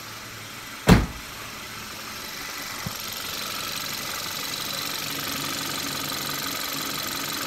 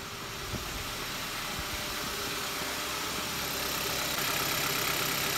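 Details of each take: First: 2014 Kia Rio 1.6 after crankshaft position sensor replacement: a brief start-up burst, then a smooth, steady idle with no misses or stumbles, starting much better with a working RPM gauge. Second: 2014 Kia Rio 1.6 with a crank position sensor code, hard start, stalling and a cutting-out RPM gauge; the scope shows the crank signal dropping out during a very extended crank, then a steady soft idle under a hiss with no clear misfire.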